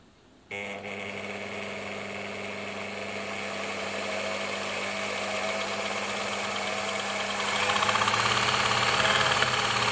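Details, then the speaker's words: Bernina sewing machine with Type 200 foot controller, after adjusting the controller so it no longer jumps straight to full speed: steady motor hum climbing smoothly in pitch as speed builds, no surging or jumps; speed control now normal. "So that's looking a lot better now, a lot more controllable."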